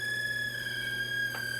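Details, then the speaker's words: Aiwa TPR-910 stereo cassette boombox with the tape motor running but the spindles not turning and no audio output. A steady piercing high whistle with ringing overtones over a faint hum; abnormal tone, electronic fault, cause unknown. "wow so that's not good sounding but all right so still don't have any sound whatsoever in this machine"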